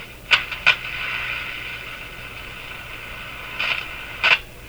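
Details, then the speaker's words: Breadner (Bradna) JBL 37 tube radio during alignment, on dim bulb tester, warming and drifting: short scratchy crackle bursts over steady hiss with signal generator audible; suspected short in tuning capacitor plates; unconfirmed. "i can hear the signal generator so i'm wondering if is that a short in the capacitor plates making"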